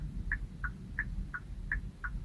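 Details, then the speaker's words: Kia Sportage after replacing the faulty center dashboard speaker, ignition on and turn signals activated: crisp tick-tock about three times a second over a low rumble; turn signal sound restored and working normally. "Turn on the ignition and activate the turn signals. Listen carefully to confirm that the clicking sound is back."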